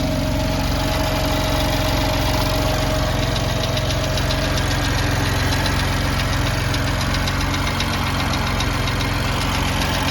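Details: BMW M4 at cold idle: fast, light ticking about three or four per second over a steady idle; noisy lifter or tappet suspected, not confirmed; the car went in for warranty repair over this noise.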